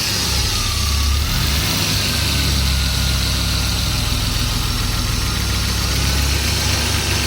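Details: BMW M50 six-cylinder petrol at idle: quick light tick over a steady low hum, rising with a throttle blip; cause not known.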